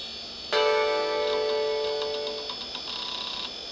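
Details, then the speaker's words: Apple Performa 6116CD, new in box but dead on arrival: clean startup chime, then hard drive spins up and seeks briefly before going quiet; boot hangs with no video, owner suspects a bad video adapter or dead CPU. "sounds like it's booting up or at least starting to and then it just stops and hangs"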